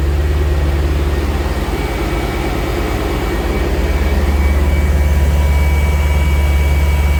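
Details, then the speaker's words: E39 BMW M5 cold start just after replacing the secondary air pump: deep, steady idle with an even pulse and no added whine or drone; the new pump is barely audible, so the old one was bad without a code. "you can't even tell that thing's on damn I didn't really realize how loud the other one is until now hearing this"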